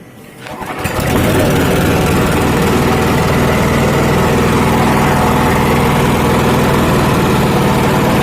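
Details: Honda GX240 petrol stationary engine that died suddenly after sitting unused for days, restarted after service without the muffler. It fires within a second and settles into a loud, even, rapid putter; starts and idles cleanly.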